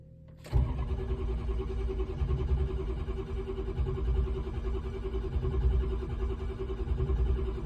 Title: crank no start